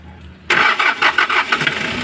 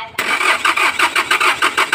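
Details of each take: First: Hyundai Porter diesel with a hard-start problem; crank sensor and injector O-rings were replaced earlier, and the pressure relief valve has just been replaced. The starter catches and it fires at once into an even idle: normal quick start. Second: Hyundai Porter diesel that is hard to start, especially when hot after driving: steady cranking at about four pulses a second with no firing. The crank sensor had been replaced earlier and the injectors checked fine; the cause was a faulty fuel pressure relief valve.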